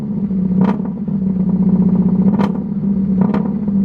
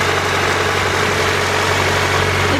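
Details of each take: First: Honda with what appears to be a D16Y8 VTEC engine, started up after purchase: a low, uneven chugging idle with loose clattery bursts. It sounds a little rowdy, cause unknown. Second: oh no started right up that time but look how smooth this motor runs if you can hear over the stupid wind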